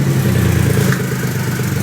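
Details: 2008 Triumph Rocket III triple right after starting following the starter relay mod bypassing the OEM relay, borrowed battery: quick start, then steady even low rumble with no knocks or misses, healthy idle.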